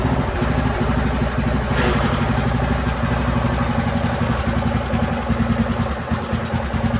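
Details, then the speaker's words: Craftsman YT3000 riding mower with donor replacement engine, running on jumper pack while testing the hydro transmission, oil overdue for change; steady even single-cylinder idle, no knocks or misses, transmission smooth, normal running. "That's a win right there. Transmission feels nice and smooth."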